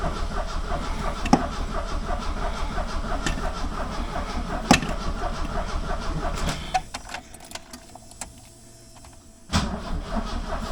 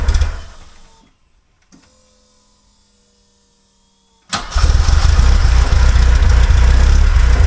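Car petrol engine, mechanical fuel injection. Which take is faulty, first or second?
first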